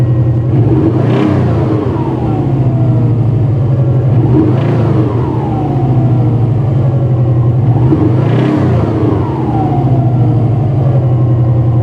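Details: Subaru EJ205, cold start: three revs bring a dull knock rising with rpm, bottom-end noise, owner suspects a bearing shell; cold oil pressure near 6, warm pressure dropped from 1.9 to 1.6–1.7. Cause not confirmed.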